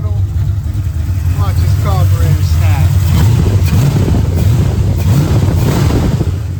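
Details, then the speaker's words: V8 with 830 CFM carburetor and JB Weld-repaired intake, just timed at 21° initial, 36° total, running cool: deep, even burble picks up cleanly and drops back without stumble or miss; healthy. "Let's listen to this. Doesn't sound that bad at all. Sounds pretty freaking good."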